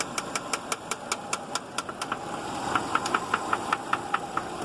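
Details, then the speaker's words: 2006 Subaru Outback engine at idle: a sharp, steady internal knock about two or three times a second over a quiet idle, unlike anything heard before. Cause unknown. "I've never heard that one sound like that before."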